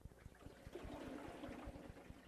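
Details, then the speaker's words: Maytag Neptune washer, drum rotated by hand while loading or unloading: soft watery swish and trickle from the sealed balance ring fluid, not leftover water; normal sound. "you guessed it nothing's wrong it's normal it's not water left in the washer it's the sound of the sealed balance ring that helps your washer run smoothly and efficiently"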